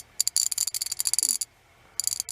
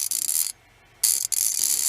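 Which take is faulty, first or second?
first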